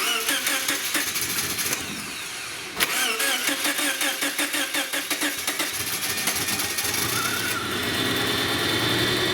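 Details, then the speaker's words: 2006 Subaru Outback SOHC after head gasket and water pump replacement. It cranks, catches, then settles into an uneven, stumbling idle with a lopsided beat, running rough on three cylinders. Sparking suspected somewhere on the engine. "yay so a little rough on three cylinders but it's running so there we go"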